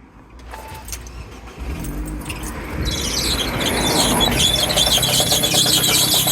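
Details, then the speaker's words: Car's AC compressor, also on the alternator belt drive, after belt came off: engine cranks and catches, then loose metallic rattle over idle as the broken bearing, snapped off the piston, rattles and seizes, which burned and snapped the belt. "Well, that is is the bearing it snapped off the piston and uh it's rattling around and not spinning properly and it seizes and locks"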